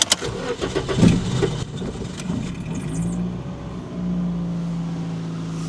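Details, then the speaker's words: 2007 Toyota Yaris that sat over 4 years with stale fuel: long uneven cranking, a stumbling catch, then a rough low idle with slight vibration; owner suspects a misfire and hears an exhaust leak, no check engine light. "the engine struggled to start a little bit but and there's a slight vibration I don't know if you can see it so it might have a misfire"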